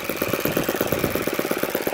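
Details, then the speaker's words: Supercharged YS FZ-63S glow engine after rebuild with new throttle barrel seal, APC 12x8 prop, OS F plug, 15% fuel, throttle about 10%, idle around 2,220 rpm: crisp, regular popping, steady without stumbling; normal idle. "attach the grill driver and start there we go all right oh she's idling"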